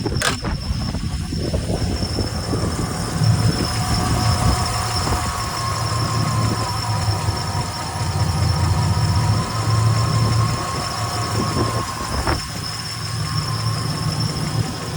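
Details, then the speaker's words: 1967 Chevrolet Impala with fouled spark plugs, during an ignition advance adjustment: deep idle that lopes and stumbles with occasional pops. It briefly smoothed out, then went rough again; the cause is unconfirmed, with timing being adjusted. "sesi hala düzgün değil Az önce şey yaptığımızda sesi düzelmişti şu an yine pat patlı çalışıyor"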